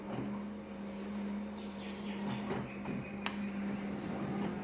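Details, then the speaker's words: Konica Minolta copier running a copy job: a steady low-pitched squeak on one pitch over the running noise, described as chronic on an older machine; source inside the copier not identified. "see that low pitched squeak folks it's not a good thing for ya hear that as clear as day it's terrible it's chronic and an older"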